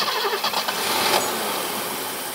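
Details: 1980s BMW E24 6-Series CSi, parked since 2001, with past electrical fuel fault history. After cleaning connections it catches unevenly, runs briefly, then dies, though it runs longer now. Immobilizer suspected; fuel pump known working.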